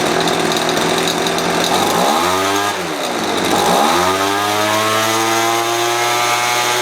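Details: Poulan Pro two-stroke leaf blower after new primer bulb, carb cleaning, carb reset to baseline and fresh gas: buzzes steadily, swoops in pitch twice on throttle blips, then holds an even high rev; normal running.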